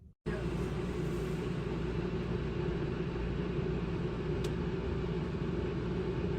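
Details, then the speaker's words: Houghton Belair 2800 rooftop RV air conditioner, eight months old, replacing an older unit: steady, even low rumble with no rattles, surges or squeals, much quieter than the old one, easy to talk beneath it while it cycles; normal operation. "it's a big improvement over the old one it's much quieter we can sit underneath it and it can kick on and kick off and we can still talk and hear each other"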